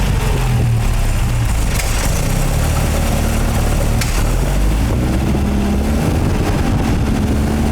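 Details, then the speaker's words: MGA 1600 roadster with a new cheap exhaust system, manual choke: low, steady burble at idle with even beat, no knocking, slight rattle; runs smooth and quiet, timing a little slow. "Sounds good. I was afraid I'd hear a bunch of noises. It runs really smooth. Quiet. Sounds just like it should."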